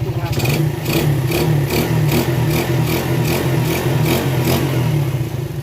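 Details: Rebuilt Yamaha Vega ZR single-cylinder engine running after full rebuild for recurring smoke, carburetor refitted, valve cover open to watch oil flow: even exhaust beat, light free revs, no knocks or rattles, smooth, oil flowing; healthy.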